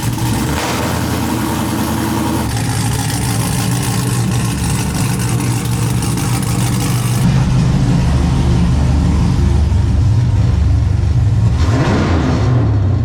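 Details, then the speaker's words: LS V8 swapped into a Nissan 350z drift car with new stainless exhaust, first start: deep even burble at steady idle, all eight cylinders firing cleanly with no misses or knocks; normal idle. "somebody's hitting on all eight extremely smooth not gonna let it get too hot because I don't have any"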